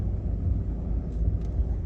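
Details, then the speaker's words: 2014 Seat Leon 1.6 TDI front left strut after greasing the strut's dust foam, no parts replaced: only a low steady rumble while steering, the earlier squeak gone; steering quiet. "şimdi şurada göstereceğim Bir gıcırtı vardı arkadaşlar o gıcırtı kalmamış"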